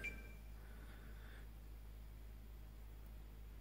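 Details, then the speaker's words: Xbox One AC adapter after greasing its fan (dust cleaning hadn't helped): only a faint steady low hum, no grinding; fixed. "the first time I put the grease on the fan was about three days ago and since then I've ran a few dozen games of rocket League through it and the noise hasn't returned so I think it's safe to call it fixed"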